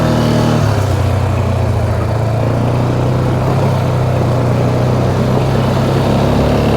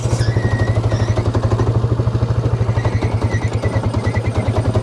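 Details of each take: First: 2009 Polaris Sportsman XP 550 on a test drive after the clutch shifting problem was fixed: a smooth, steady engine drone with no bogging or belt pull. Normal CVT drive. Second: 2009 Polaris Sportsman XP ESP 550 after clutch reassembly; rough, jittery chatter over a steady single-cylinder idle as the CVT belt keeps grabbing, with the primary clutch not fully releasing.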